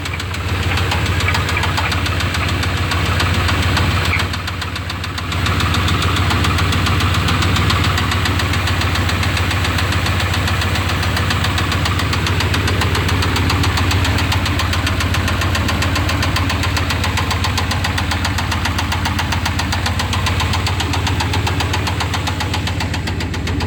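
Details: 1988 Chevrolet C1500 with the 305 V8, before an oil change: a steady, loud knock of about three or four raps a second under the idle rumble; cause unknown.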